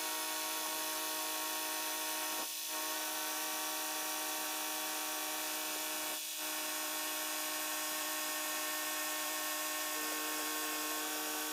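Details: Range Rover Sport air suspension after repair, where the pump itself was the fault: steady high-pitched compressor whine with brief dips, no rattles or strain; normal, though the front raises slower than the rear and the pump gets hot.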